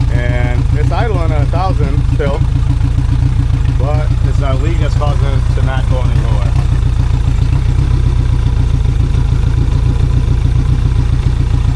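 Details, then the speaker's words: 2002 Yamaha 90hp outboard, sat two years, idling steadily around 1,000 rpm against a recommended 700 and never settling lower; carbs need cleaning and a leak is one reason it won't idle properly. "See, it's leaking a lot. So, that's one of the reason it's not idling properly."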